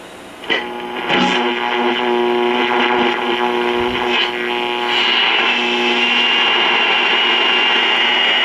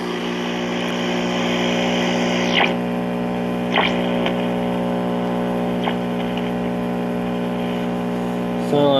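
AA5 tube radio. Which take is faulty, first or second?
second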